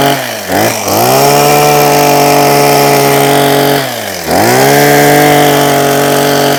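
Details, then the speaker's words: Husqvarna 123HD60 hedge trimmer, long unused and not running, after a new carburetor diaphragm: crisp two-stroke buzz blipping down and snapping cleanly back to steady high revs; normal running. "Nice, man. Well, nice. We like that quite a lot. Super. Nice little hedge trimmer."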